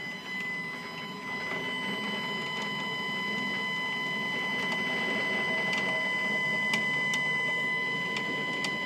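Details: Stepcraft 840 CNC, new machine, axis travel during setup: a steady high buzz runs with the carriage, with sharp ticks a few times a second; rough, noisy rail travel, cause unclear.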